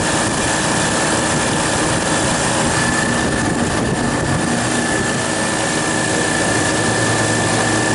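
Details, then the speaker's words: Refrigeration compressor outdoors at about 14–16°F with a -14 wind chill. A thermostat-controlled Mars crankcase heater on the liquid receiver warms the refrigerant until the low-pressure control cuts in. Steady even hum with no knocks as it pumps down normally. "this is now the compressor is running it warmed up the refrigerant enough so it expanded just enough to kick in the the fres frost and she should start pumping down for us"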